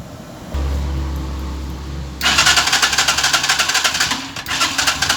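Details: Euro 150 motorcycle with hard-starting problem: engine cranks in a quick, uneven rhythm, about four strokes a second, but never catches and runs.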